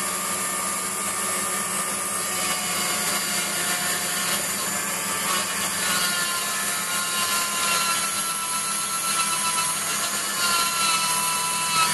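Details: Waldown/Dumore tool post grinder finishing a bronze bush bore on a lathe, stone worked in both directions with fast in-out traverse and very light cuts: constant, even high-pitched hiss with no rise or drop. Uniform contact, so the bore is finished.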